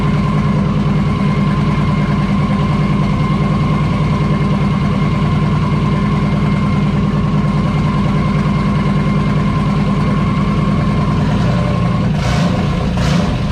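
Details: Turbo LS V8 swapped into a VW Beetle, first start after install: loud lumpy idle with an uneven, slightly loping beat under the exhaust drone; sounds a little funky, owner suspects a misfire, not confirmed.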